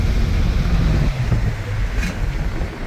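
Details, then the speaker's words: Subaru with very low idle and stalling, on a wide-open-throttle road run: it pulls hard, then stumbles and hesitates from about 5000 rpm, badly at 5500 rpm. The check-engine light flashes for misfires; cause not yet confirmed. "so around like I said 5500 RPM it screws up real bad but 5 000 starts acting up gotta watch out for the deer so we'll do one more wide open right now hesitating"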